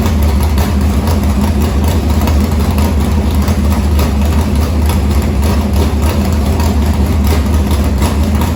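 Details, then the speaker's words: Harris race car's Morgan Machine-built open V8 (speaker thinks ~358 ci) with EQ heads, Edelbrock Victor Jr two-barrel intake and 85 carburetor, started after fuel line was reconnected; loud, choppy but regular idle lope, no misfire or knock, normal idle. "we're gonna go ahead and crank it just to make sure we get fuel up into the fuel line for where we had it unhooked"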